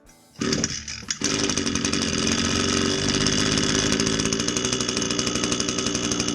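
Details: Echo string trimmer that wouldn't start or keep running with no power, after spark arrestor screen cleaning and fresh fuel: the two-stroke catches after a couple of pulls and settles into a steady, even buzz with no sputtering; running normally.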